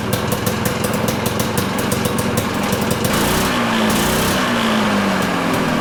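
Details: Citation two-stroke snowmobile, air box may be replaced and fine-tuned later: buzzy note holding a steady idle, then rising and easing back smoothly with no stumbling; running properly.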